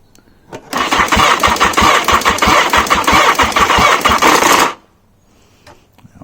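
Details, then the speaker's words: Car with ignition fuse and dodgy wiring problems, cranking on the starter: loud, rough metallic rattle over the quick cranking beat; the cam chain is tightened afterwards. "power on button I get a turnover now if I leave it on too long I get a horrendous rattle listen"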